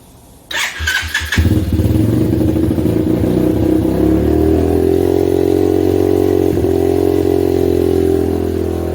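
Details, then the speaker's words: 125cc pit bike just fitted with a Mikuni-clone VM22 26mm carb, started on choke: catches after a few cranks, then holds a fast steady idle that never drops; throttle stuck or idle air screw fully in, later thought to be a jammed throttle cable. "now obviously the issue was it was Ireland crazy high so either the throttle is stuck or the idle air screw was screwed in all the way"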